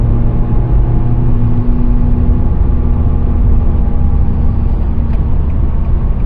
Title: 2017 Nissan Sentra SV humming noise while driving